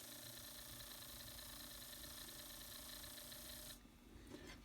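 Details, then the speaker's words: Shanhongsa HO scale MLW RS18 locomotive drive truck, lightly oiled and reassembled: steady, even high whir with fine gear buzz, stopping abruptly; runs smoothly, normal. "that sounds real good."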